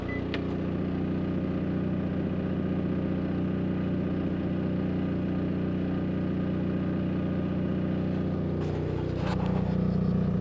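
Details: Onan generator in an Arctic Fox 990 truck camper, after adding drilled isolation pads bolted to it to cut noise: even, steady low drone with a constant beat and no knocks or rattles, about 60 dB; running smoothly.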